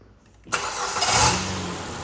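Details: Ford engine just after its blocked coolant expansion-bowl bleed-off pipe was replaced: quiet, then catches instantly and settles into an even idle with no stumble or rattle; normal start and idle.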